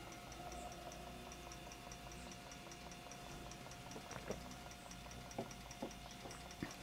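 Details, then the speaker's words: IBM 5155 Portable PC 5.25-inch floppy drive running an alignment test on a formatted disk: quiet, even ticking about three times a second with soft head clicks over a low hum, reading 18 of 18 sectors, working. "and it's working perfectly and I can tell that because well not 100 we should be getting 18s down this column here"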